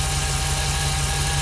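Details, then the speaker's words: 2006 Jeep SRT8 6.1 Hemi, high mileage, after coils, spark plugs and injector rebuild for a P0305 cylinder 5 misfire; warmed up, misfire count dropping toward zero, deep steady V8 burble with no shake; normal warm idle. "You can visibly listen and hear the engine. Much smoother."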